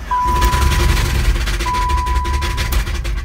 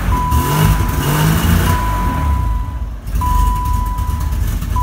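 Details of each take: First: 1990 BMW E30 325iX, 5-speed manual: rough heavy engine with deep loose knocks about three a second, rod knock; reportedly hot-wired and driven very overheated, engine toast and being replaced. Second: 1990 BMW E30 325iX, 5-speed: first cold start of the replacement engine after the original threw a rod; steady low idle rumble with a repeating warning chime.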